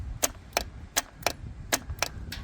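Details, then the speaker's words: Yanmar TK486 4-cylinder diesel, fuel shutoff solenoid pull (white) wire energized with 12 volts: sharp, crisp single clicks about every third of a second, seven in a row; solenoid pulling in normally. "So your white wire is going to energize and pull this coil in. So I'll hit the 12 volts on this white wire. You should be able to hear it click."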